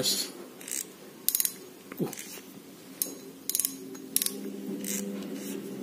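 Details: Penn Battle II reel after gear rebuild, greasing and cover reassembly, drag being checked: short bursts of crisp rapid ratcheting clicks as the spool is pulled; drag clicker working normally.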